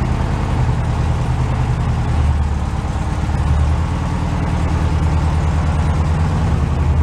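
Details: Carbureted air-cooled flat-four VW bus stored in a shipping container, cold start. A steady, even low rumble with no stumbles or knocks. Normal idle.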